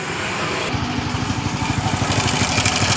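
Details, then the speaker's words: Honda Supra motorcycle, ticking after oil change: quick light ticking two or three times a second at idle from the left side of the engine; cam chain found very loose, tensioner suspected not pumping. "baik-baik suara mengkritik di bagian mesinnya ini seperti itu suara mengkritik"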